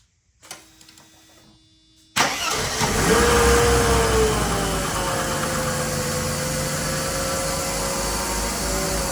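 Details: Classic Mercedes M104 engine first start after replacing valve cover gasket, timing cover gasket, oil level sensor, drain plug, and 7-quart oil change: brief crank, quick catch, smooth steady idle with no knocks or ticks; healthy start.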